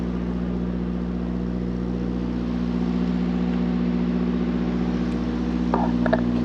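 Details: Mack truck with MP8 (Volvo D13) diesel after a Volvo specialist sorted the injectors that caused long-crank hard starts: deep, steady idle with a constant low drone, no stumbling or misfire; truck running well, fuel burning fine.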